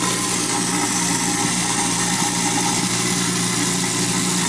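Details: New InSinkErator Badger 1/2 hp garbage disposal, test run after installation: constant high motor whir with water rush and light chopping, speed holding steady; running fine, no leaks.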